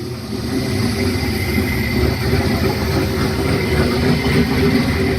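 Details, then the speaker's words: 1972 Nova with turbo LQ9 V8 on its first start: deep, steady idle with an even lumpy beat and no knocks or rattles; runs clean, with vacuum lines and a catch can still to be done. "All right, finally got to hear it run. It's a nice goal accomplished."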